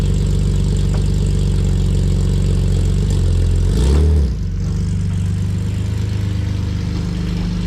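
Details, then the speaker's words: BMW E46 M52 with new headers plus a scrap resonator (thought to be off an X3) and muffler delete, while driving. Steady, deep, even exhaust drone with no rasp, much better than before the resonator. "all right so I'm not even out of the neighborhood yet and it already sends a million times better"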